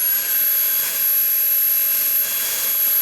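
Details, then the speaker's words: Dyson V8 vacuum after battery replacement, no nozzle fitted: smooth, steady high-pitched whir with no flutter or rattle, noticeably louder than before, then it spins down; motor sounds healthy. "that sounds a lot louder"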